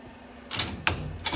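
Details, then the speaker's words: New 2023 Polaris RZR Pro R turbo, FOX 3.0 shock on the bench: silent when compressed, but sharp metallic clicks from a loose internal part when jerked to extend on rebound; suspected wrong assembly or manufacturing defect. "То есть если мы его сжимаем тишина если разжимать даём рывок на разжатие что-то внутри прол"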